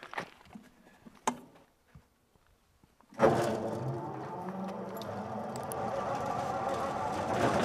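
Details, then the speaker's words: American-made V8, about 50 years old with only a couple hundred hours run, driving a vineyard frost-prevention wind machine with a large propeller on a rotating tower: after a pause it catches and settles into a steady, even low rumble that slowly builds; healthy start and run. "the engine's a V8 that's it and it's probably 50 years old uh and has only run during its whole life a couple hundred hours all right let's see if we can start it up"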